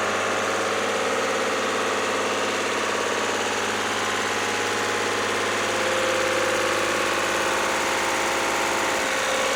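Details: Lister ST3 diesel generator after fresh oil change, new voltage regulator, starter, air filter, fuel filter, fuel pump and plumbing: steady, even beat at constant speed, no knocks, misses or hunting; running healthy and smooth.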